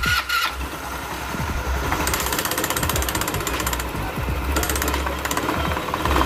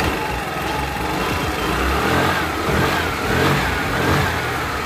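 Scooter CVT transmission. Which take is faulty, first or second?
first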